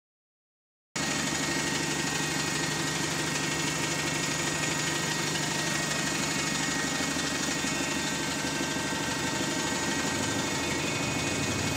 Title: High Idle RPM | SLN 36610 (Spot + 2)